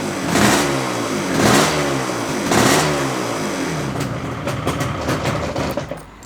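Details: 1982 Yamaha RD350LC 350cc two-stroke twin, matching numbers, fresh extensive rebuild, new clocks reading 1 mile, cold start on choke with a little throttle: three sharp revs rising and falling cleanly, crackly even exhaust; normal healthy cold start and revving.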